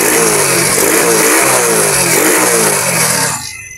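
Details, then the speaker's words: Motorcycle that died when the throttle was twisted, after correctly reinstalling the idle (menor) part that had been flipped, mixture untouched: engine revs up cleanly, holds without stumbling or dying and drops quickly; throttle response now active, idle still somewhat low. "kanina ay hindi mahit pero ngayon active na siya So yung mixture natin hindi na natin ginalaw okay siya"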